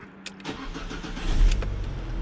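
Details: Alfa Romeo MiTo after replacing a 5-year-old battery that cranked slowly when cold: a brief firm crank catches quickly into a steady, even idle with little voltage drop, a healthy start.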